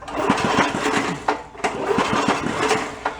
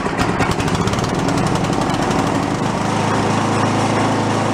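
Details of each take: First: Toro 1132 snowblower pulled from bulk trash, engine cranking: quick, uneven chuffing and it never fires; no spark at the plug. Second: Toro 1132 snowblower pulled from bulk trash, fuel dribbled in before starting: choppy firing pulses for a couple of seconds, then a steady, even beat; normal running.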